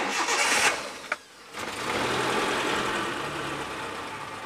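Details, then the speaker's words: 2003 Suzuki Carry Futura Realvan GX, dry engine with no oil seepage and clean oil: quick crank, catches cleanly and settles into a steady, smooth idle with no misses, metallic or odd noises; healthy start. "starter, kita dengerin suara stasionernya ini masih anteng, dia masih halus, suara stasionernya nggak ada pincang, nggak ada suara metal, juga nggak ada suara yang aneh-aneh ya."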